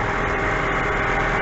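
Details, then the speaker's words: 2004-2011 Mazda 3 2.0L at idle after timing chain and engine mount replacement, earlier big rattle: steady even idle with smooth low hum, no rattle or tapping from timing side; fixed. "I don't hear any sound I don't hear any um uh rattling hear that super nice and calm like it never happened"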